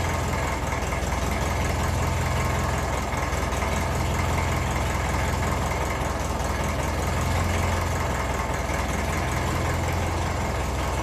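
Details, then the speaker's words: 1954 Ferguson 20 TEF diesel tractor just after cold start: low, steady diesel clatter at idle, revs slightly up and down while cold, no knocks; healthy cold idle. "little bit up and down. I don't mind once it settles, that's fairly normal when it's cold."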